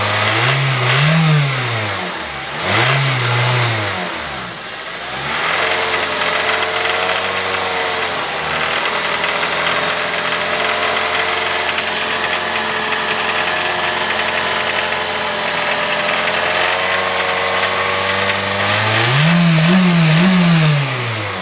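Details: Honda EP3 with K20A petrol engine blips revs and settles to idle with a faint irregular knock underneath; cause unknown, owner seeking help.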